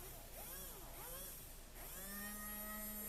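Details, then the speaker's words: HiT Toys TrackMaster Percy toy train, thrift-store find, motor tested after cleaning before reassembly: small motor whirs up and down in pitch, then settles into a steady, even hum with no stutter; runs smoothly now. "it seems to be working pretty good now. So just try and spin it a couple times, make sure it's loosened up"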